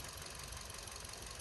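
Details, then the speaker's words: Hyundai i20 petrol engine with a rough, uneven stumbling idle from a misfire. Coil power check: cylinder 4 shows no action while 3, 2 and 1 show firing action, so the cause is still being traced. "see no exchange this is number four I put it there number three you see there's action there it's firing"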